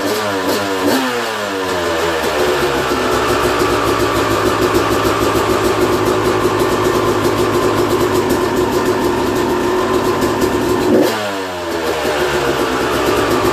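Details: 2001 Yamaha YZ250 two-stroke, first start after a new top end, jets and service: crisp idle climbing cleanly through several quick revs and dropping back without stumbling; engine runs healthy.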